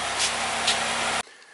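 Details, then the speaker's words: 2009 Chevy Cobalt, first start after refurbished cylinder head install for P0300 misfire, codes cleared, coolant not yet topped up: brief smooth, even idle hum without skips or stumbles; no misfires, running cleanly. "here goes nothing oh yeah no misfires sounds good"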